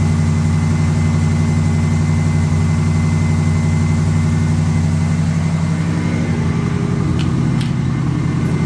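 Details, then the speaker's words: AMC 360 V8 after refitting the valve covers and oil pan, cold start at about 20°F after sitting two weeks: steady low idle rumble with a light, quick tick on top. Exhaust leak. "sounds good and uh the ticking that you're hearing is an exhaust leak"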